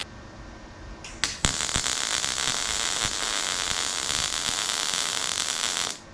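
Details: 1968 Mustang fastback: steady welding crackle with sharp irregular pops, caused by Rustoleum paint on the surface burning out of the joint.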